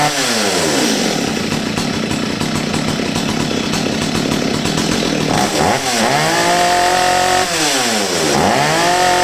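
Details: Old STIHL 023 chainsaw that sat over two years and bogged and stalled on throttle, after carburetor adjustment: high steady full-throttle scream, then quick clean blips up and back with no hesitation or bog; running right.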